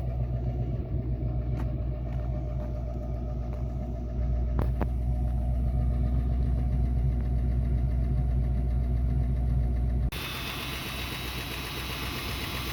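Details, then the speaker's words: 1966 Mustang 289 V8 idling, burning oil, with oil found low and black: a deep steady knock from the bottom end at the pan under lighter top-end tapping. Suspected spun rod bearing; not confirmed. "So that's knocking to me. I've heard a lot of spun bearing engines."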